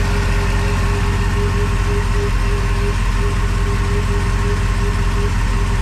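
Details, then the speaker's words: Crusader boat engine idling after the injectors were rebuilt and tested and the rails cleaned, with air bled from the fuel; smooth, even idle at a steady low beat around 170 per minute, no misses or knocks, vacuum 15 versus 12 before. "oh it's got air in that fuel oh look at that she is running smooth"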